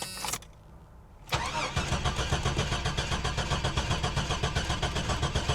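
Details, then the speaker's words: Damaged fuel-injected C7 Corvette at auction, cranking steadily with no attempt to fire; engine sounds fairly good with a slight gallop, no fuel pump heard, about 20 psi oil pressure while cranking; fuel pump fuse suspected. Crank no start. "it's fuel injected it should have fired makes no attempt engine sounds pretty good sounds like I might have a little bit of a Gallop to it and I do not hear fuel"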